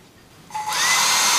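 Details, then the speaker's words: Portable hot-air soldering blower, motor fed 12 V from an adapter through a resistor: thin whine climbs quickly to a steady high-speed rush of air; motor runs normally at maximum speed with strong airflow. "Nah, seperti kalian dengar, kecepatannya maksimum ya di sini, dan hembusan anginnya lumayan kencang ini."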